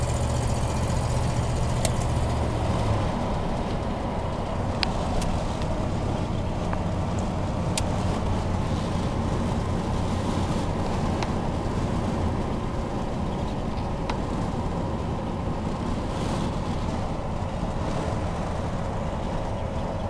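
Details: 1987 Chevy truck V8 idling with a major exhaust manifold leak from a broken exhaust stud on the left manifold: loud raspy low rumble with a lawnmower-like blat, louder with throttle.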